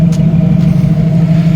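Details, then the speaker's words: 1990 Jeep YJ 4.2L inline-six, 5-speed, new carburetor, warm at about 185°F, idled down slightly; steady even low hum, no misses or stumbles; normal warm idle, problem solved, choke still needs adjusting. "So, yeah. But it sounds good. It sounds nice and smooth again. So, that problem is solved."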